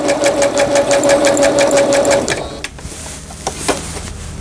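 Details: Singer Stylist 7258 after repair of an E4 error, a shifted lower-shaft gear, a sensor fault and a slipped timing belt, sewing pattern 03 zigzag: quick, even needle ticks about three per second, no grinding or skipping; machine runs smoothly.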